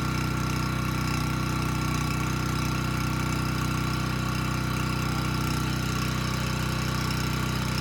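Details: Abandoned Powermate generator on its carburetor, started first pull: steady, even drone at constant speed with no misses or knocks; initial smoke dissipated immediately, engine speed about 62 Hz, voltage too high; normal run.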